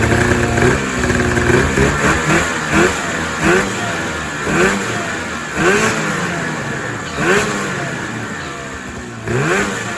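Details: 2000 Ski-Doo MXZ-X 440 two-stroke race sled, first running after fuel system flush and water pump repair, airbox off: uneven burbling idle with lumpy surges about once a second; owner says it's a little fat, loaded up and choked at low end idle.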